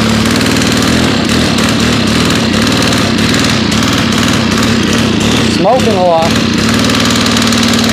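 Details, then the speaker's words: FS90R trimmer with a replacement fuel tank, run at about 30°F after 5 months on untreated ethanol-free fuel. A steady buzzing that only smears up briefly when throttled, then sags back: bogging because the choke was left on. "oh i am the dumbest person in the world forgot to take the choke off"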